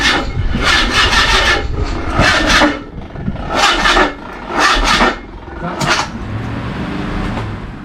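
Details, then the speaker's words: Mazda MX5 under restoration, jump-started, only valve stem seals done: slow, labouring crank with a rasping surge about every second, as if passing a stiff spot each turn; restriction suspected, compression test considered. "it's like it gets to a point and then it it has to pass something stiff"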